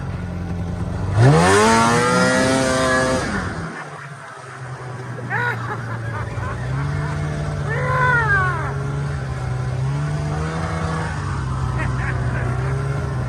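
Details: Snowmobile ZL550 two-stroke after a no-start repair; it had spark and the fault was fuel. Engine snaps up crisply to high revs, drops back and picks up cleanly on each blip with no stumble; healthy running.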